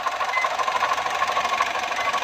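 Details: Foton engine running with a fast, even rattling knock over a mid-pitched drone. The knock comes from inside the engine and its cause is not yet identified.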